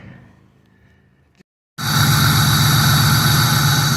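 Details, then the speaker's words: 1997 Pontiac Trans Am LT1 V8 after replacing the original PCV valve. It starts and settles into a steady, even idle with a regular beat and no stumble; roughly 75% of the former rough idle is gone. "Wow, that actually made a huge difference. My car used to uh actually rumble from the from the uh stumbling on the idle and I would say about 75% of it is gone now. I've got a way smoother idle."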